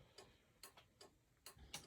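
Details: 1995 Chevrolet Impala SS after an LED taillight conversion with resistors and a new flasher, headlights on: crisp, even relay ticks about twice a second in a quiet space. The turn signal flasher is working properly.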